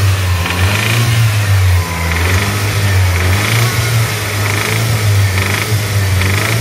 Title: Evo engine noise issue vid